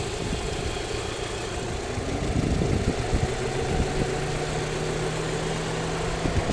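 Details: Alfa Romeo 156 1.6 TS at idle with a light, fairly quick, slightly irregular tick above the engine note from the upper engine bay. The source of this top-end ticking remains unclear.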